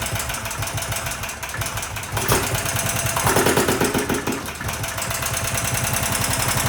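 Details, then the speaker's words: Predator 420 single-cylinder engine, about a year old, after a valve lash adjustment: uneven clattering knock over rough running, roughly three raps a second; owner suspects valves set too loose but is unsure the knock comes from the lash. "Normally it did, but I noticed like a really bad, I noticed a really bad knocking. And at first I'm like, okay, maybe I set them too loose"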